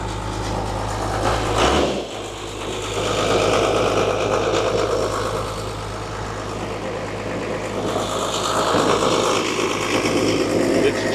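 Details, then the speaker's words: Abandoned Dodge plow truck, 12-valve Cummins diesel, about 300,000 miles, sat for years: catches and settles into steady even diesel clatter at idle, no misses or knocks, full oil pressure; healthy. "Beautiful. You got all pressure. Wow. That's a 12 valve, baby."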